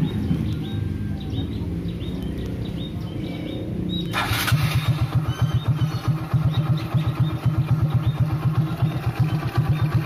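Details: Motorcycle started via newly installed remote-control relay keyless system: quiet four seconds, then fires cleanly and settles into an even idle of about four beats a second; healthy.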